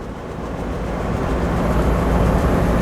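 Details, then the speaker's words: 1972 VW Beetle driving around 30–40 mph: deep rumbling drone with rough beat about four per second, rising with road speed, from front left wheel, louder over the journey; owner suspects wheel bearing or flat tyre. "So we've developed a bit of a noise from the front left wheel at certain revolutions of the wheel, that is, not the engine. I feel like maybe there's a wheel bearing that's going or something in that front left."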